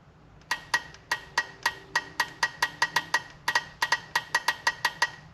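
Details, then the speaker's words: Polaris RZR 900 fuel injector tested with alligator clips switched by hand: about twenty sharp, crisp, clean clicks at an uneven pace, showing the injector opens and closes normally. "Alright, that one sounds good. I can hear it clicking. So we know this was opening as well."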